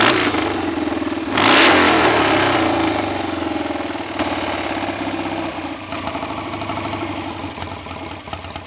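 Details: BSA A65 Spitfire Hornet twin after ignition timing was advanced, probably a couple of degrees, having previously hunted, raced or stalled: quick blip, then a steady, slightly lumpy tickover with even firing beats; not the best A65 idle but acceptable and much improved.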